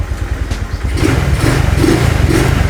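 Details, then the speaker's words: Honda Vario carburetor scooter after installing a TSF Racing carbon-steel double CVT clutch bell: single-cylinder picks up smoothly with a steady, even beat, no clutch-side rattle; the CVT is quiet. "dan ini cenderung silent guys untuk suara dari sininya ya"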